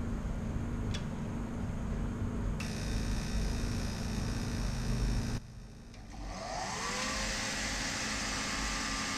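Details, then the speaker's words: Forced-air heater with a specified pump pressure of 3.5 psi but reaching only about 1.5 psi. A steady motor hum, then the fan spins up with a rising whine and no burner roar follows: no combustion from low fuel pump pressure. "you also probably noticed there was no combustion"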